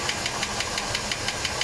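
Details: 1987 Mercedes W126 560 SEL V8 at idle, rocker cover on: sharp regular tick about six per second over idle, valvetrain knock; owner suspects worn camshaft needing replacement or regrind, not confirmed.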